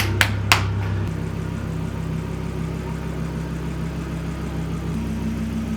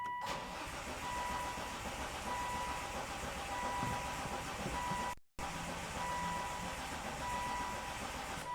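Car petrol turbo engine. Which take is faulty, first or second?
second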